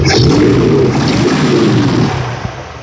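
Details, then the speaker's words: 1979 GMC C3500 Sierra Grande with run-on/dieseling, after backing a screw down slightly: smooth, even low rumble with steady beat settling from aggressive to relaxed; normal idle. "And you can hear a lot more relaxed. [Music] So that's a little bit more calm. It'll just periodically make the adjustments as I need."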